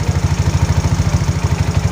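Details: Mio scooter from a hard-starting repair, steady low putter of about eleven even pulses a second with no misses or rattles: a smooth, healthy idle.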